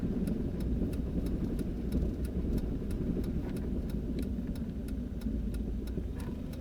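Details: 2000 Jeep Grand Cherokee Limited (WJ): sharp, regular front-end clunks about three a second over a low rumble, appearing only after 30+ miles of driving; after 5-10 minutes sitting it's fine for about 5 miles.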